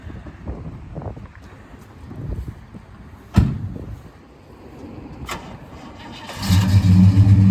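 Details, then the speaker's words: 1968 Pontiac LeMans V8, sat 14 years, on a long road trip after dieseling on shutdown: some quiet knocks, then it fires right up into a strong, even idle; normal start. "well started right [Music] up seems like it's running fine fired right up"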